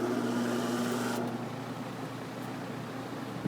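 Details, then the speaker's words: Chelsea vent fan with a replacement quarter-horse 1750 RPM induction motor: low rumble, steady hum and scratchy hiss fading after a second from old, dirty brushes that get dirty again after cleaning; brush rumble and scratch on start-up. "I'm gonna start it up, and it makes a low rumbling noise and scratchy sound because it's the brushes. They're old and dirty, but I've cleaned them and they just get dirty again."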